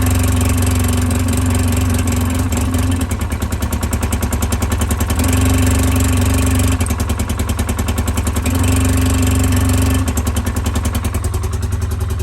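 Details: 2010 Polaris Ranger 800 XP EFI twin, code 652 5 PTO-side injector open or shorted, reproduced on start: rough idle dropping and recovering every few seconds as one cylinder cuts out; harness usually at fault, injector must be replaced with it.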